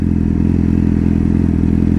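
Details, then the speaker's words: R6 engine idling after transmission bearing replacement and a DIY rebuild: a steady, even idle with a smooth low throb and no knocks, ticks or rattles. It runs well with no leaks, apart from a possible small exhaust leak. "everything looks good no leaks everything is running flawless man looks good"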